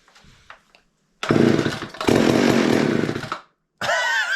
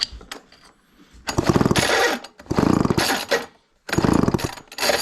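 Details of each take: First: Garage-sale chainsaw with two-stroke mix syringed into the carburetor: two short bursts of two-stroke firing that die away each time; engine fires on primed fuel, showing spark and good compression. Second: Garage-sale chainsaw with good compression given five quick pull-cord strokes, each a ratcheting flutter with no firing; spark plug check shows no spark.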